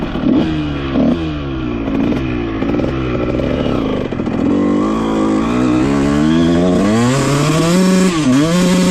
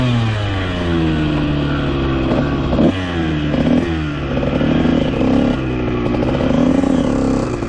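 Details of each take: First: 2001 Honda CR125 two-stroke after top-end rebuild for a deformed piston ring and 60 psi compression, temporary wrong silencer, dented pipe, 380 main jet: crisp revving through the gears with slight stutter at full throttle; rich jetting breakup. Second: 2001 Honda CR125 two-stroke dirt bike after top-end rebuild for a deformed piston ring and main jet changed from 380 to 370: crisp revs climbing and dropping through several blips, revving out fully and consistently, no top-end breakup.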